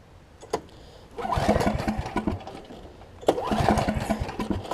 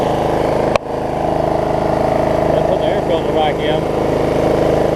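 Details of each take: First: Snapper 28-inch rear engine rider mower, choke off, in start position, throttle broken, ran moments earlier: two bursts of choppy uneven cranking that never catch; cranks but won't fire, owner wonders about a safety switch. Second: Snapper 28-inch rear engine rider mower after plug pulled and refitted, owner suspecting bad or too much gas had stopped it starting: steady, even mid-pitched drone, no misses or knocks; running smoothly and healthy.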